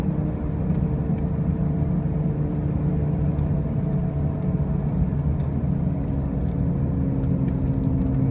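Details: 2005 Pontiac Grand Prix with brand new wheel bearings and new tires: a constant low droning rumble under way, with no clear rhythm over the road noise; the source of the loud noise is undetermined.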